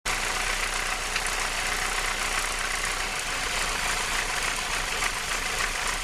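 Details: Renault R19 16V phase 1 F7P engine with alternator belt removed, idling steadily with a rough, hissy mechanical whirr from the cambelt end; source not pinned down.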